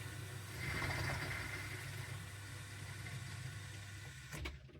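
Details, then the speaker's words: Miele dishwasher showing an inlet/drain fault (F19/F13). The drain pump works, then water hisses in for about four seconds and cuts off abruptly, stop-and-go; caused by a defective flow-meter circuit board in the water inlet pocket. "so wenn ihr merkt dass die Maschine Wasser zieht und auf h zieht und aufhort so Stop and Go Stop und go dann ist das zulauffehler"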